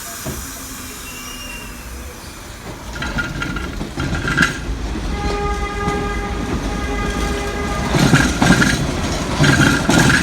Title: Strange Noise Heard As Train Moved through Station